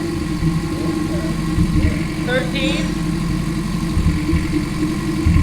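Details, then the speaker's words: K24 engine in an AE86 touring car build on its first start, with no alternator or water pump connected: steady, even low idle around 1000–1250 rpm with no knocks, misses or hunting; a normal healthy idle. "Yeah, I think around 1200, 1250 now. 1300, yeah."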